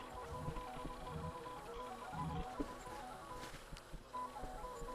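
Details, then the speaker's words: 1994 Mr Christmas Merry-Go-Round carousel that would not rotate, after contact cleaning with a wire brush and DeoxIT, and a Dremel and hot-glue repair: steady tinkling tune over a soft, even motor hum with no stalls; normal operation. "Oh, it's working great. I'm going to grab the cell phone and show you what this thing looks like in operation."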